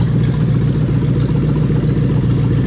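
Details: Lexus LS430 3UZ-FE VVT-i V8 in an IS200 with plug-and-play harness, J160 manual and remapped ECU, coolant still warming: smooth, even low drone with no misses, knocks or rattles; normal running.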